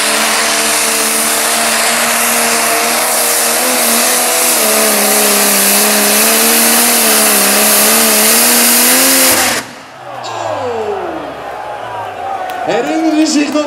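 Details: Tractor puller "Neighbours Nightmare" at the 2012 Putten beachpull: the engine screams at full load, then power cuts abruptly and falling whistles wind down as the turbo fails.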